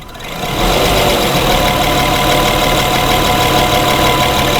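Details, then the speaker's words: 2011 Honda Pilot hot idle, intermittent stalling: idle rises and falls in loudness with an uneven pulse, surging toward a stall. "Trying to figure out what's going on with the car. I can hear it surge. Now it hasn't stalled yet."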